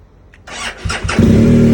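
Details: 2020 BMW GSA boxer, stock battery fully charged, firmware updated, dealer found no codes, about 24-30°F in cold garage; brief crank stumble then catches to rough idle, owner suspects bad starter switch: hard start.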